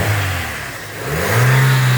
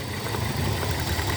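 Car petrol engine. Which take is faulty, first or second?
second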